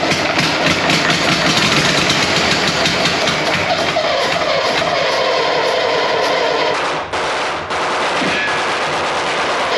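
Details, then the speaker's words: Second AEC Matador diesel engine cranked on starting ether: harsh crackling bursts with ragged cut-outs, running only on ether while no diesel combusts. "we know we've got no fuel actually combusting but we did hear it running on The Ether because the ether is combusting at that point low much lower down"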